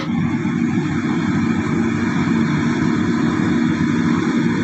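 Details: Excavator diesel engine that was hard to start and needed petrol to fire, injector calibration involved: steady, even idle with a constant low rumble and no stumbling or hunting; normal idle.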